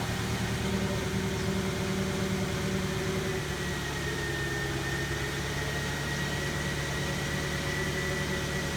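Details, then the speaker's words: VW Passat W8 with 96,000 miles on a cold start, hood open: a fast, loose rattle over the steady low hum, only at startup and in cold conditions. "hopefully this video is able to capture that noise a little bit it's only right during startup until it's light and its really during cold start"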